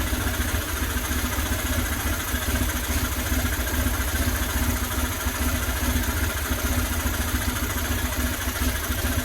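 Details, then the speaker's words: 2000 Buell Cyclone M2 V-twin, first start after new lifters and a battery were fitted: an even, steady idle with a smooth low thump and no lifter tapping. The only noise is from the breathers, which is considered normal. "Oh boy. Sounds like a runner. Only noise I got is just from the breathers, which that's not unusual because this stuff is sealed off. But aside from that, it's running."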